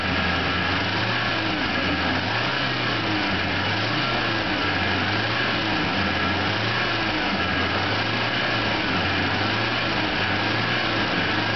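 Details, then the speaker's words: 1986 Toyota van, engine hot at proper temperature, with a newly fitted Napa clutch fan replacing a worn-out one. Steady engine running with a loud, even fan rush and no rattles or scrapes; the fan clutch engages normally, then quiets as it disengages. "as you can hear now the fan is engaging but you'll hear it quiet down here in a minute"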